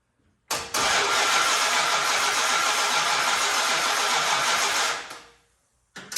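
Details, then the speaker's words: 1968 Dodge Monaco barn find with freshly painted, installed 440 big block, first start attempt after 36 years: engine cranks steadily about four seconds but never fires; has fuel, spark and audible compression, cause not confirmed. "She got fuel, she's got lightning, she's got compression because you can hear it."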